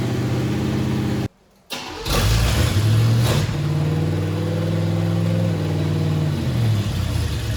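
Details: "Bear" 9C1 first start, no exhaust, only Y-pipe: catches after short gap, settles into fast slightly uneven idle; owner blames uncapped vacuum lines for high idle, carburetor needs tweaking.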